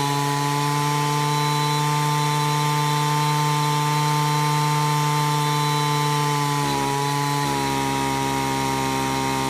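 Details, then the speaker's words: Stihl FS38/FS45/FS55-type string trimmer at full throttle, tuning the high-speed carburetor screw: steady high buzz whose pitch sags briefly, then settles slightly lower at the humming spot, set just to the rich side. Low speed was preset at 1¼ turns. "That's where you want that high-speed screw set at. You're favoring the rich side a little bit."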